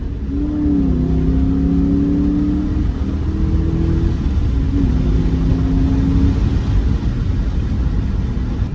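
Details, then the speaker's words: 2003 Ford Mustang GT driving after new MSD coils and spark plugs cured a bad misfire: deep, even drone pulls cleanly through the gears, pitch steady between shifts, no misses or stumbles; healthy acceleration. "Everything feels so much better feels up to get up to go what am I talking about it just feels healthy no stutter whatsoever it's ready to Boogie"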